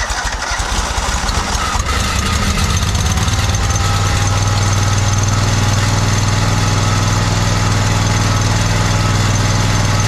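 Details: John Deere 317 lawn tractor with Kohler Command 18 hp engine, after fitting a new fuel pump; smooth, even low rumble settling quickly after start, no misses or surging; no leaking, runs pretty decent.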